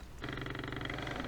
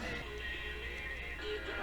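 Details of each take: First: Sony Dream Machine ICF10W solid-state radio, plugged in after sitting unplugged a few hours, transistors already checked: steady low buzz with a rough pulsing hum under the station; the fault was later traced to a cold solder joint. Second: Sony Dream Machine ICF10W solid-state radio after repair of a cold solder joint, plugged in and connected to a speaker: music plays clearly and evenly with no buzz, hum or crackle underneath; the radio is working normally.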